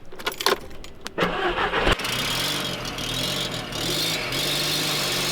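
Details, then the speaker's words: Modified Audi TT engine cranks, catches and idles with a sharp puffing hiss from an exhaust manifold leak; a manifold bolt hole was found with no bolt in it, owner plans to fit a replacement bolt. "it's safe to say I found the exhaust leak I'm going to take the other bolt out right next to it measure that hope it's the same one get another bolt and jam it see if that works"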